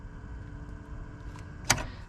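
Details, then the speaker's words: 1974 Plymouth Satellite Sebring Plus, engine off: a faint steady whir with one sharp click partway as the heater blower runs on low at all times after a switch was remounted; owner suspects a short, not confirmed. "I guess there's a short in here. So it's on low fan at all times."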